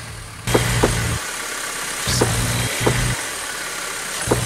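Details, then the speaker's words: Honda, engine blipped: sharp clunks with each rev as a worn or broken engine mount lets the engine shift, a noise easily mistaken for suspension noise. "es muy común que cuando se desgastan o se rompen provoquen ruidos molestos como los de suspensión como en este Honda al"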